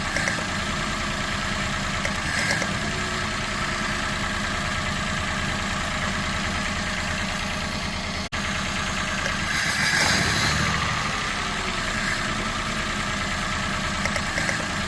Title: Citroen C1 1.0 misfire detection